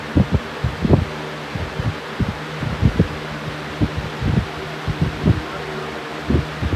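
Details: Fan at full power gives irregular soft thumps about twice a second over a low hum as it wobbles; fan wobble, owner suspects the blades are out of balance.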